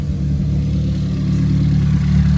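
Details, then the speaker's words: Ford Fiesta ST idling low and deep with faintly uneven, lumpy beat from a misfire, while coil packs are pulled one by one to find the misfiring cylinder. "we're going to pull here. That's running uneven."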